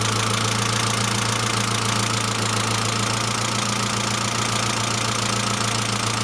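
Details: Saab C900 after engine/head rebuild, steady idle: fast, even light ticking three or four per second, persistent hydraulic lifter tick; no oil leaks, pressure lamp off; suspected low oil pressure from not thoroughly cleaned relief valve, return line leak apparently ruled out.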